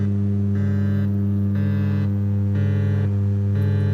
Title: Audio AMP වල Humming noise නැති කරමු. @slelectronic #Hummingnoise